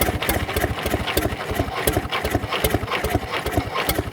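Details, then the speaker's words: Previously seized Fordson Major diesel tractor wreck from far west NSW on a temporary crank start; steady chuffing four to five beats a second, turns over but never starts, cause unconfirmed. "there's my uh temporary crank start just to try and get it turning over when it was seized and we'll see here we go okay"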